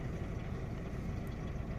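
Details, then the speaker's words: Opel Astra J 1.4 with check-engine light and misfire code, engine shaking and running oddly, single coil pack: low, lumpy idle with an uneven thump, a cylinder misfire that the scan tool traces to cylinder 1. "Astra J 1.4 rateuri. Merge ciudat motorul tremură și am lăsat prânz de acuma două."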